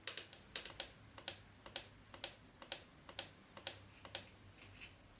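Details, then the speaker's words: KTM EXC TPI two-stroke after replacing the leaking two-stroke oil tank with an updated one: quiet, steady light ticking about twice a second as the oil injection pump bleeds oil into the hose; normal priming. "now you hear the sound its injection oil in the system and it's bleeding the hose"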